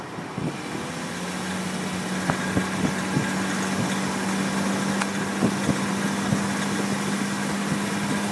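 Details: BMW E46 320i automatic with M54B22 engine, fully warm at 20°C or more outside: a steady hum with irregular light ticks and rattles from the front right under load, also reproducible standing in D with throttle and brake together. Its source is unknown; the owner doubts the oil pump and has ruled out the wheel bearing.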